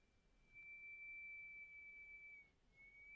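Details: Pamu headphones case giving off a thin, piercing, fixed high-pitched whistle that cuts in and out in a quiet room. Cause unexplained.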